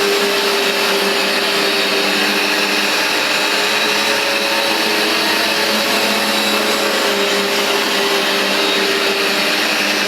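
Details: Vax Dual Power Total Home carpet washer, new replacement unit, cleaning a very dirty foamy new rug: steady high-pitched suction whine with constant brushing hiss from the dual brushbar, no surging or knocking; running healthy.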